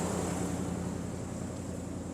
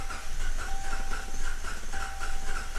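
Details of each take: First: Hemi V8 after a cam swap idles smoothly and evenly with a deep regular beat and no misses, now fixed. Before the fix it ran rough and threw codes. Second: Hemi V8 after a cam swap, running rough with codes: leakdown hiss with faint whistling on cylinder 1, coil packs removed, gauge reads zero. The cylinder won't hold pressure, likely from a pushrod slightly off holding the valve open.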